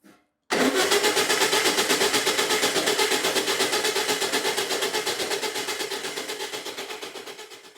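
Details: 1962 VW Beetle, sat over 20 years in the desert, first start attempt: steady cranking around 160 beats a minute slowly losing pace; turns over freely but never fires.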